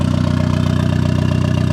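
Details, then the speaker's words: Turbo Miata first successful start after clutch, flywheel and new bearings, with the hood dump: a steady, evenly spaced low idle pulse with no misses or knocks, good AFR and good oil pressure. "The hood dump really isn't that loud. I mean, that's idle, of course."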